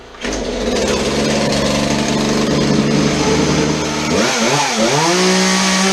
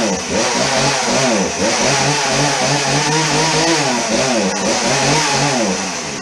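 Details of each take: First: Chainsaw that would not idle, after old fuel was dumped and the air filter was modified and refitted: two-stroke buzzes steadily, then revs cleanly up and back down with no stumbling, so it is running normally after repair. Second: Chainsaw running on fresh 50:1 premium ethanol-free fuel, with the old fuel dumped for water and flecks, choke on then chain brake off: a high buzzy two-stroke rev that surges and sags and must be held on throttle; it won't idle.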